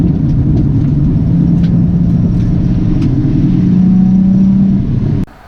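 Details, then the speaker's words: Nissan 350Z on track at speed (BC coilovers, Goodyear Supercar 3 tires): loud engine with harsh, uneven rumble then sudden cutoff; driver first thought blown tire, handling barely off; found failed wheel hub in pits. "And so that noise was terrifying to hear. Pulled in, I thought it was a blown tire. The handling wasn't too off, but it, you know, when you hear something that loud, it's very concerning."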